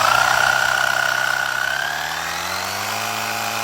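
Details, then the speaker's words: Chrysler 300 with a swapped 6.1 Hemi SRT8 V8 (about 20,000 engine miles) at first start, engine covers off: an early high whine fades, leaving a smooth, settled idle with no ticking or knocking; normal idle. "We gotta put the engine covers back on, but everything is running very good. As you can see, I don't hear no ticks, nothing like that."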